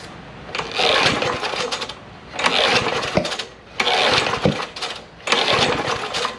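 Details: John Deere JS63C push mower, 6.75 hp Briggs & Stratton OHV, gas/SeaFoam sprayed into the carburetor: short sputtering bursts catching and dying every second or so with popping blowback through the intake; flywheel key suspected sheared, timing off.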